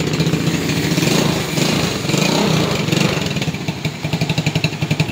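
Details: Motorstar Idol 110 motorcycle started on one click after troubleshooting its primary-type (non-battery) electrical wiring; small single settles into a steady, even putter at idle with no stumbling, running fine.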